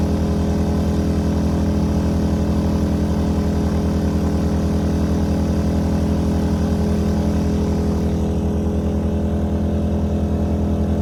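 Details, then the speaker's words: A-iPower SUA1500i 1500 W gas inverter generator taking an RV load through an adapter, air conditioning off: a steady, even drone with no stumble or hunting as the load comes on; healthy under load. "It didn't even stumble. So I do have so I'm definitely getting power in there. It didn't even burp."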